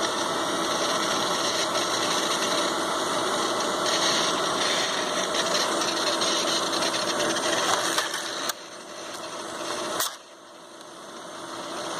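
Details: ICS Advent Pentium III industrial PC reassembled with all covers on, worn fan filter: steady whirring hum with a fixed mid-pitch whine and faint even rattle, no grinding; fans running normally.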